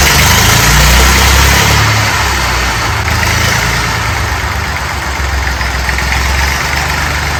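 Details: Fordson Dexta tractor diesel just started without ether after glow heating: settles into a steady, even chug of about four beats a second, no misses or knocks; running healthy.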